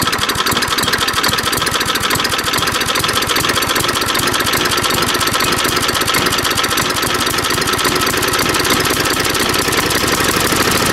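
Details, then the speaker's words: 3.5 HP Tecumseh small engine after tune-up by trial carburettor adjustment: fast even firing, crisp steady exhaust note, no stumbles or surging; now running very well. "As you can hear, the engine is now running very well."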